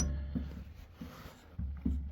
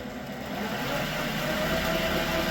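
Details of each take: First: Creworks 8x16 lathe carriage shoved by hand before adjustment: a few dull loose clunks; carriage play from loose gib screws underneath, one completely loose, to be adjusted. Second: Creworks 8x16 lathe cutting after the carriage play adjustment: a steady, even motor drone with a faint constant tone and no knocking or chatter. It runs smooth and more rigid than before.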